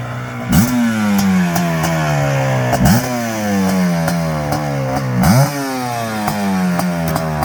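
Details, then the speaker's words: Suzuki LT500R Quadzilla 500cc two-stroke quad after Keihin carb jetting tweak, moved from middle to second-from-bottom position for more mid-range fuel; revs rise cleanly without breaking up at the top, soft burble, possibly still slightly rich or not fully warm after about a minute of riding. "sounds like it might still be a tad rich or it might not be warm he's only been riding it for like a minute minute and a half definitely sounds a lot better it doesn't break up on the top anymore"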